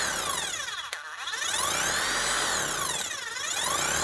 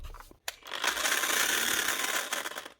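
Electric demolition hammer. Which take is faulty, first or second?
second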